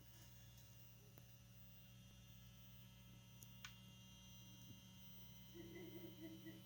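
Quiet, constant low hum with a faint buzz and the engine off; the gearbox control unit keeps humming, cause unknown.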